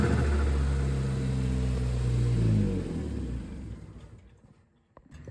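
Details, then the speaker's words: 2013 Ford Focus ST after installing a Go Fast Bits T9354 diverter valve with preload set all the way tight: revs rise and drop away with a quick fluttering chatter as the throttle closes. Normal diverter valve flutter. "Okay, so here's what it sounds like with the preload set all the way tight."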